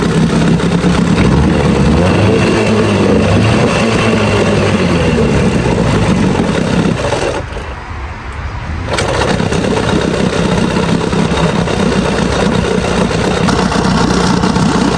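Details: Old Evinrude Sport Twin two-stroke outboard, found after years in storage, after carburetor cleaning and new fuel lines: runs loud and steady with no coughing or surging, dipping briefly once then recovering, pumping water well; normal idle.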